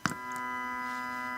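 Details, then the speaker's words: Homemade boombox with Pyramid WX65 speakers, RGB lights and noisy MP3 board: a click as the lights turn on, then a steady buzzing hum with several fixed tones; ground loop noise leaking into the amplifier. "now we're going to encounter my uh my ground Loop problems"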